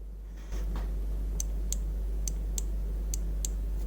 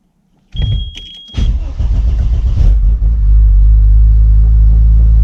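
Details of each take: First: Audi S2 throttle micro switch, after adjustment, now gives sharp light clicks, six in about two seconds, as the gas pedal is pushed, over a low steady hum; it didn't click before, so it was probably mispositioned. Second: Audi S2 with the stock ECU refitted: starter cranks briefly, engine catches with a flare, then settles into a steady but noticeably fast idle; idle speed sits too high.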